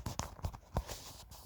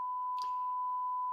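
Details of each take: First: Zenith 500D transistor radio after repair: following handling knocks, steady clear music at good volume with no crackle or distortion; earlier distortion was caused by poorly matched push-pull output transistors. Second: 1958 Zenith 500D transistor radio, completely dead at first; a 1 kHz signal injected at the output transistors gives a steady tone from the speaker that is unchanged with power on or off. The push-pull output stage is doing nothing, a dead output stage.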